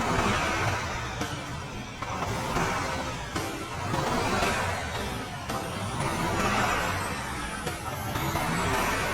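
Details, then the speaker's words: Voge SR450X after 10,000 km, with the engine torn down, reassembled and refilled with fresh coolant and Shell oil. Repeated throttle blips rise and fall cleanly, smooth with no rattle or knock. "The sound still feels really smooth no rattling noise you can put on headphones to listen revving it up now"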